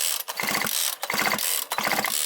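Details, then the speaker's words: Grass trimmer or chainsaw two-stroke, after a replaced cylinder-to-crankcase gasket, fully reassembled (old rings kept), cranked: bursts of four or five crisp pops about every 0.7 s; firm, even, normal compression. "Хлопки відчуваються вже зовсім по-іншому. Такі хлопки мають бути при правильній роботі сальників та прокладки."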